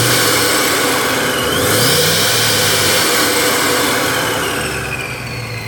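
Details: Silverado/Sierra 2500, LQ4 6.0 V8 with 4L80, custom-bracketed ProCharger P600B supercharger, about 550–600 hp: high steady blower whine over smooth even idle with one brief rev; healthy supercharged idle.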